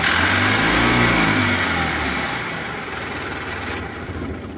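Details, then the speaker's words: Mahindra Supro Maximo diesel with code P0202 (cylinder 2 injector circuit open) fixed by reseating the loose injector coupler and clearing the code; engine fires, revs briefly, then settles to a steady even idle with no misfire. "तो friends हमारी गाड़ी है start हो चुकी है गाड़ी और इसके प्रॉब्लम यह कपलर निकला इसका इंजेक्टर का"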